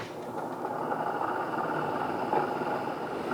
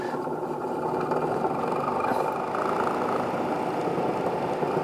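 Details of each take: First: Honeywell air purifier fan after fixing its rattle by cleaning and gluing around the edges: steady even whoosh of airflow, no rattle or ticking, far quieter than before. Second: Honeywell air filter fan bent and partly melted after sitting too close to a fireplace: steady fan whoosh with a busy, buzzy rattle riding on it, unbalanced and damaged.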